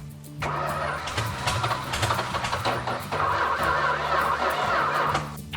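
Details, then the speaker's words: Purple Dodge Challenger, first start in 30 years with no carburetor fitted, running on fuel poured in. It cranks, catches and runs rough and uneven for about five seconds, then dies; ignition works but there is no fuel supply. "Let me crank it over and suck some of that down. Hey, she runs."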